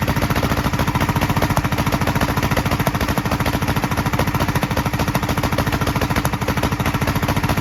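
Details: 1943 Gravely Model L single-cylinder on rebuilt magneto and borrowed 1955 L carburetor with its settings; uneven chug about 200 beats/min, popping from carburetor and exhaust; valve lapping and lash check planned. Carburetor and exhaust popping.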